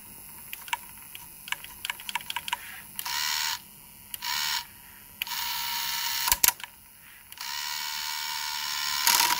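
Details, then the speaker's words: Pioneer PD-S503 inverted CD player under diagnosis (spindle turns freely, play only clicks): pickup sled motor gives short bursts of fine high-pitched whirring as the carriage is driven forward and reverse, smooth and unhindered; normal pickup sled movement. "it's moving carriage is moving so now it waits until stops"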